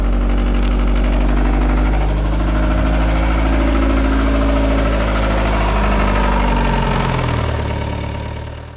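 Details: 500 hp Miata after it broke during 100-200 km/h pulls, timing belt just re-checked: a heavy idle with a harsh metallic clatter over a low drone, about three beats a second. Loud metallic noise, cause not yet found.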